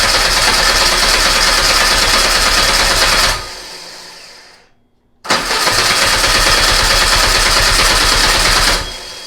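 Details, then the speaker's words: Old VW Beetle engine sat about two years, on a start stand with control box, coil off, about 70°F: even steady starter cranking about four beats a second, pause, then resumes to build oil pressure; healthy turnover, no knocks. "Let's go ahead and crank until we get oil pressure."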